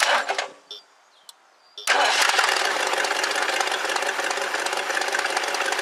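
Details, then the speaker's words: 1969 Lincoln Mark III V8 after a major tune-up, before timing adjustment: the engine catches and settles into a steady, even rumble with no stumble or shake, all eight cylinders firing; it was missing badly before. Normal idle. "all right sweet it's running good it's hitting on all eight cylinders uh not shaking it was missing pretty bad before it sounds good"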